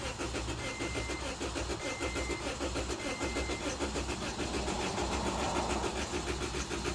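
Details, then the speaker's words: Scion xD that won't start (customer suspects a fuel issue): strong, even starter cranking that never catches; not a battery issue, and no fuel pump sound is heard with key on. Crank, no start, no fuel delivery. "that sounds like it wants to start definitely not a battery issue or anything"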